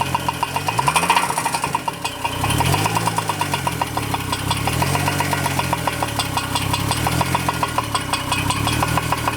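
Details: 2002 Chevrolet Trailblazer with remanufactured engine, just before break-in checkup: fast, even ticking knock rides steadily over the idle and does not fade; cause not found despite extensive teardown.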